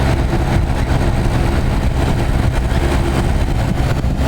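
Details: Vintage Montgomery Ward 25-pint dehumidifier made by Norge, circa 1969-70, running on high. An even fan rush sits over a low compressor hum with no rattles or knocks. The coil frosts for 20-30 minutes, then fully defrosts. Healthy unit.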